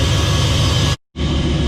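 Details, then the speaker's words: 1967 Chevy C10 with LS swap at idle: loud steady hissy roar like a jet engine over low V8 rumble; intake sucking sound tremendously loud, cause not yet found, to be addressed. "but it's the sucking sound from the intake when it's idling is tremendously loud sounds like a jet engine so we need to address that"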